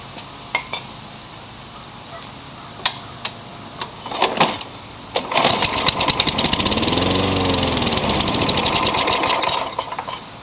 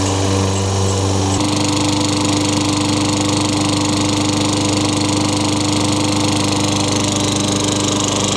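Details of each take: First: Craftsman mower small engine with a cracked primer bulb: catches after several cord pulls, runs rough and lean for a few seconds, then sputters and dies. Classic carburetor fault; carburetor replacement planned. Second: Craftsman 22-inch mower, Tecumseh 6 hp engine, curb find with wet air filter and possible water in gas, after new RJ19 plug: catches and settles into steady even run, no surging, smoke or oil smell; normal running.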